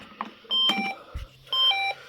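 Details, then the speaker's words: Intruder alarm service, cover lifted off: two bursts of high, steady electronic beeping; tamper alarm triggers properly when cover is removed. "And there you go. Tamper also is working perfectly fine."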